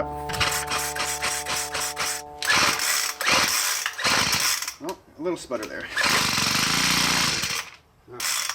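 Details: Poulan Pro PP428S string trimmer/polesaw combo after throttle cable replacement: buzzy two-stroke note catches, stumbles in uneven bursts, then picks up; brief startup sputter, otherwise runs normally after repair.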